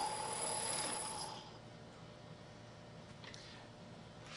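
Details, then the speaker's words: Lathe turning a long thin part: harsh ringing squeal of chatter for about a second, as the part deflects under cutting forces, rides up onto the tool and vibrates, leaving an irregular surface finish. "turning long thin parts such as this one can be a problem due to the deflection of the part due to the cutting forces produced by the tool"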